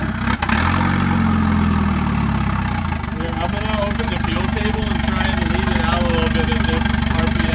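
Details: Turbo wagon on a Microsquirt standalone harness, ignition timing fixed at 10 degrees: starts and settles into a loud, fast, steady pulsing with no exhaust fitted, voices over it; holds a normal idle.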